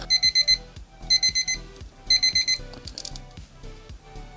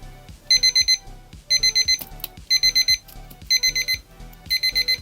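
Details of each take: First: 1999 Thunderbirds alarm clock after repair, broken contact bridged with a solder blob and battery refitted: shrill high beeps in quick groups of four, about once a second; the alarm now sounds normally. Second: 1999 Thunderbirds alarm clock under repair with its front housing off. Bursts of four quick high beeps once a second keep repeating and the silence button does nothing. A damaged circuit-board track is suspected.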